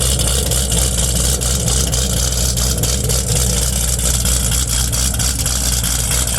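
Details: Chevrolet Camaro ZL1 V8 after rebuild and final dyno pull: deep, lumpy burble at a steady idle, firm low rumble with no knocks or ticks; healthy running.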